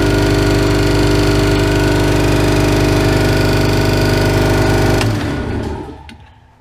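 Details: Ingersoll Rand 5 hp single-stage twin-cylinder 60-gal compressor, started with tank at about 50 psi and feeding an air cooler and moisture separator: even rapid thump about 3.5 per second over motor hum, then shutoff and spin-down. Normal running.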